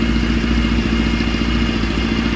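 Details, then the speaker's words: Kawasaki GPX 600R after carb overhaul, sat over a year, air filter not yet fitted: quick catch and an even, busy four-cylinder idle with a steady beat, no missing or stumbling; carbs running cleanly, not yet balanced. "that sounds pretty good"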